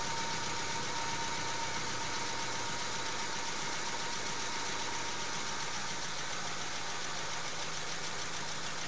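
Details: Volkswagen after an accident and body repair, no-start with spark present, ignition wiring suspected, before compression test: starter churns with a steady, fairly even beat but the engine never catches; crank, no-start.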